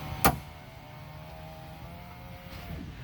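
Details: 2020 Toyota Tundra power window after repair of popping complaint on roll-up: one click then quiet smooth motor hum, no popping as glass rises; working normally.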